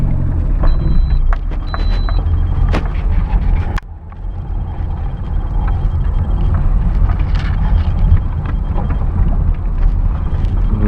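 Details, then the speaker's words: Lada Granta driven over a very rough road after tightening three loose steering cardan joints: heavy low road rumble with only scattered bump thuds, and none of the repeating steering rack knock heard before. "Дорога просто ужасная. Раньше он стучал как сумасшедший. Черт, я думал, что что-нибудь отвалится. Я подтянул, теперь всё в порядке."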